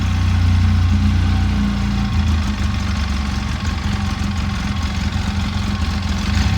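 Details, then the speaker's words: 2011 Polaris RZR 800 twin in neutral before a test drive: the idle starts higher, then sags into a lumpy, irregular beat as if about to stall; cause not confirmed. "She's trying to stall. Oh, sketchy."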